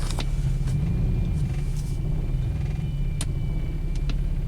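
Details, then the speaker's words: BMW X5 at full throttle, pedal floored, barely moving, with a deep, uneven, lumpy rumble and no revs building; misfire returned after a week of driving, running on three cylinders; cause unconfirmed. "not moving at all this pretty much works works on a on a three cylinders again"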